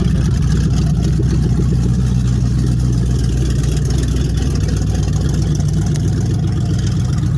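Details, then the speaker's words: 1994 Dodge Dakota 4WD, 5.2 L 318 V8, A518 transmission rebuilt: exhaust open at the manifolds with the stock Y-pipe off (Flowmaster 40 behind). A loud, deep, rumbling idle with a raw unmuffled bark. "Exhaust that's not finished. It's just manifolds right now, but it's got a Flowmaster, the 40 series on the back."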